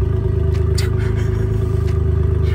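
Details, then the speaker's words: Nissan Skyline R32 GT-R running with the exhaust downpipe pulled apart by pressure. Loud rhythmic chuffing with every exhaust pulse over a low rumble: major exhaust leak at the separated downpipe. "so as you can hear right now we've got a massive blow in the exhaust and this isn't a blow the exhaust downpipe has pulled itself apart from pressure"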